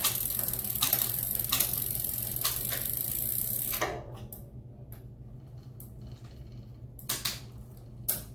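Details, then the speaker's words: Mountain bike with newly installed SRAM GX Eagle drivetrain running a Sunrace 51-tooth cassette: steady chain whir, each shift one crisp click, no grinding or skipping; shifting nice and smooth. "You guys can hear that, it's nice and smooth."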